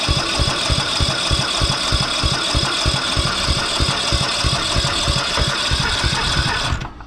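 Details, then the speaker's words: Briggs & Stratton 12 hp engine on a cheap parts-only ride-on mower, bought as possibly seized, sprayed and cranked: chuffs unevenly about three beats a second, stumbling and dying; rough running, owner suspects the carburettor needs cleaning, cause unconfirmed. "okay every bit of spray the cab is probably gonna have to be clean here but we're gonna try"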